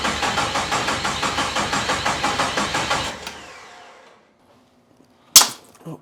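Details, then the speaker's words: 1972 Jeep Commando with 2000 Cherokee 4.0 straight six swap, fuel at the rail: starter churns evenly about five compressions a second, never catches, then cuts off; crank no start, no spark, coil pack unplugged; starting fluid next. "so I'm looking for starting fluid to see if maybe we can just squirt some in the throttle body to eliminate the fuel piece of the equation"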